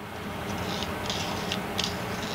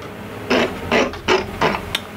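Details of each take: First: 1998 Hobart Handler 120 MIG welder after cleaning the dirty wire feed speed rheostat: soft steady whir with light ticks of wire moving, no squeal or stutter, noticeably quieter than before; normal wire feed operation. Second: 1998 Hobart Handler 120 MIG welder wire feed motor before cleaning: whirs in uneven bursts, surging and cutting out about three times a second; dirty, oxidized wire feed speed rheostat contacts make feed erratic; cleaning them quieted and fixed it.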